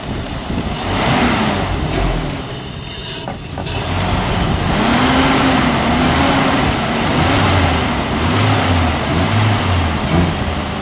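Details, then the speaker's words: 2002 Ford Ranger, 2.3 L 16-valve, 76,000 miles, bad fuel pump so running on intake spray: clean throttle blips, pitch rising and falling evenly, no misses or mechanical noise; engine sounds healthy, A/C compressor not engaging. "but as you can see the motor sounds good listen rev it up yeah go ahead he's going to rev it up so you can hear it accelerate"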